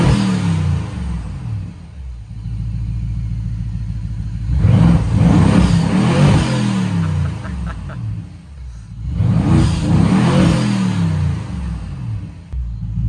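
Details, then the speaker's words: BMW 750Li after first start following transmission repair, warm engine after a few minutes running: blipped twice, revs rise cleanly and fall back to a steady, even idle with no knocks or misfires; healthy engine. "like a healthy engine to me so now that we're sure that the car runs at least reasonably well"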